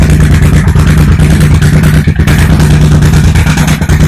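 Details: 1987 Honda VT1100 Shadow V-twin, carbs cleaned and plugs replaced, cold start on choke: loud lumpy running with uneven pops about three a second from front cylinder exhaust; owner suspects carb sync or exhaust gasket; exhaust popping.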